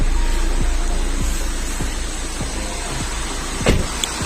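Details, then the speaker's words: Suzuki Swift (latest model) with poor AC cooling, engine idling with the AC switched on: a dull knock repeats about three times a second over the engine; the noise is inside the AC compressor, which can't be repaired and is to be replaced. "இந்த வண்டி பார்த்தீங்கன்னா உள்ளே வந்து கம்ப்ரஸருக்குள்ளே தான் noise வருது. Once compressor உள்ளே வந்து noise வந்துருச்சுன்னா நம்ம எதுவுமே பண்ண முடியாது."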